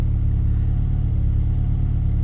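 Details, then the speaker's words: 1990 Nissan 240SX after replacing all four injectors, MAF cleaned, TPS checked: deep lumpy idle that varies up and down, stumbling badly and falling flat on throttle; cause not found. "i mean if even if you hit the gas the car falls flat on its face i mean you can hear it stumbles real bad"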